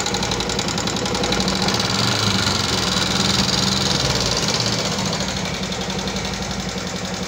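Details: 2014 Yamaha Jupiter MX carburettor motorcycle at idle: fast even clatter about three or four ticks a second, "kletek-kletek" top-end tick; suspected loose valve clearance or worn rocker gear, not confirmed.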